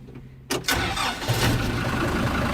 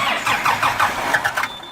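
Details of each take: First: Kubota M120 diesel tractor after fire repair (new wiring harness, two new computers, throttle cable, hydraulic and vent hoses): turns over briefly, fires quickly, settles into a steady even idle without knocks or misses; healthy start. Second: Kubota M120 diesel tractor, sat four or five years, fire-damaged wiring rebuilt and PTO switch fixed: even starter cranking, about five compression beats a second, never fires; crank no start, owner suspects lift pump or air in fuel, no fuel at cracked filter line.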